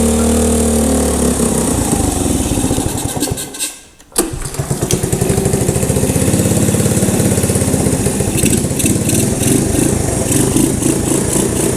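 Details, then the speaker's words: 1985 Honda ATC110 three-wheeler abandoned in a field, brake fluid sprayed down intake, on choke: cranks and sputters unevenly, stalls, then catches next try running rough and lumpy; hard start, owner suspects gummed-up carb. "I bet that carb is gummed up on the inside."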